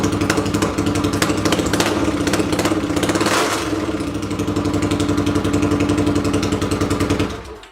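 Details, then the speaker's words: 800cc lawn pulling tractor engine, first test run in neutral with clutch in and air box and carb covers fitted: fires and runs with a steady, even rumble, briefly revs, holds a clean beat, then shuts down; healthy. "just real quick it sounds much better with the air boxes on or air box and half a half of carb covers just really listen to that rumble"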